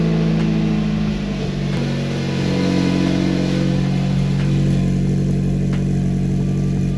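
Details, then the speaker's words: NB Mazda Miata fitted with a modified NA eBay exhaust with no muffler or silencer: engine revving with a loud, coarse rasp rising and falling with throttle; sounds awful, owner may add a muffler. "sounds terrible it's kind of loud okay that sounds awful"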